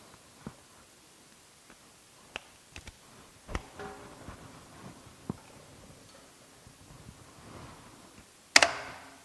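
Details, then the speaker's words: Eaton/Ingersoll Rand air compressor retrofitted with a 7.5 hp magnetic motor starter replacing the original pressure switch: scattered light clicks, then one sharp, solid clack as the contactor pulls in on the test button. It switches cleanly. "I can use and this should just kick in and I should release the button it'll kick out"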